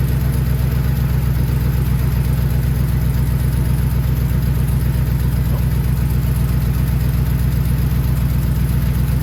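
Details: HD truck fired up after repair, coolant just topped off: deep steady low rumble with an even beat about four per second, no knocks or squeals; engine idles smoothly, normal.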